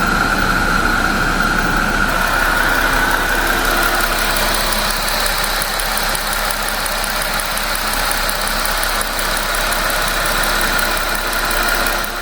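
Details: 2025 Jeep Wrangler Pentastar V6 after installing new-style PCV valve: steady, even idle with smooth rhythm and no squeal or chirp; the air-movement squealing noise is gone, engine sounds healthy.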